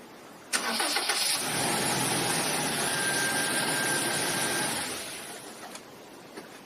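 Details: Toyota Vigo 2.7 petrol, 2TR engine, after replacing the starter (mounted passenger side under the coil): quick crank, engine catches immediately and runs smooth and steady, then settles; clean, healthy start.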